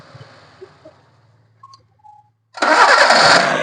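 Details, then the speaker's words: Maruti Suzuki Zen MPFI started after a distributor oil seal replacement for an oil leak: quiet cranking, then the engine catches with a loud, harsh rush and a high chirpy edge as revs rise; the noise is from the belt. "Start ചെയ്യുമ്പോൾ നമുക്കൊരു sound കേൾക്കുന്നത് ഈ ഒരു ബെറ്റിന്റെ സൗണ്ആണ് ഈ എന്നുള്ള ആ ഒരു ഒച്ച കേൾക്കുന്നത്"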